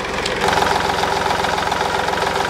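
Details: 2010 Smart Fortwo 451 0.8 turbodiesel, 119,000 km, after a fuel filter replacement with no air in the system: steady, even diesel clatter with regular firing and no hunting or misses; normal idle.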